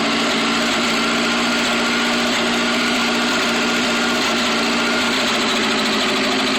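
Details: Atomic 4 marine engine after rebuild: loud idle with an uneven, stumbling beat and occasional dropped firing pulses, a misfire at idle.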